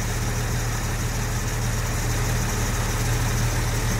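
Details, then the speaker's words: Jaguar Series 1 4.2 with new electronic ignition, warm idle with the choke off at about 750 rpm and expected to drop lower. A steady, even low rumble with no misses, knocks or ticks; running smoothly. "She might go a bit lower than that. What's she revving now? She's about 750."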